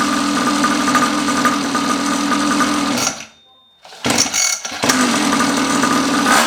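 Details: Neglected long-stored 49cc two-stroke pocket bike after carb cleaning, new fuel tap, fuel line, filter and tank; buzzes at steady fairly high idle, cuts briefly, picks straight back up and runs evenly; starts and runs normally.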